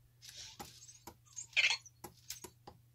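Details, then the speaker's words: New Traxxas X-Maxx 8s brushless motor, shaft pushed axially by hand toward a dial indicator: faint separate dry clicks about every half second, excessive end play (shaft slop); clicking source unclear. "i have no idea what is clicking here it's going one two that's actually two clicks"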